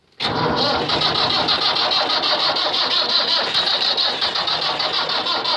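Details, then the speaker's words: Cold-start attempt on a 1494 diesel tractor, unclear whether it has a block heater plugged in: steady rhythmic cranking with even compression beats, never catches until the battery dies; owner suspects low battery. "Trying to get it. Oh, maybe not. Battery must be low power too. Crank it to one. Darn it! I killed the battery."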